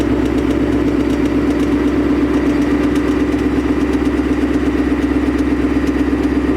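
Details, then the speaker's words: 2020 Mustang GT 5.0 PP1, 10-speed automatic, 3rd-gen Coyote; fast even tick about two to three per second over steady idle; factory tick said to be normal, owner unsure of cause or fix. "All right, now that sound is very unattractive. I don't know if it could be fixed. I mean, people say they just ride the car, you know, just let it tick, whatever."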